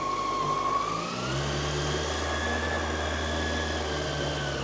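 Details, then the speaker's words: Original 1999 carbureted Yamaha R1 warming up for an oil change, on choke and then choke off. Steady, even idle that drops to a lower speed, with no head noise, ticking, rattles or knocks. Healthy warm-up idle. "more choke off it's like no head noise no rattling it's a beauty this one"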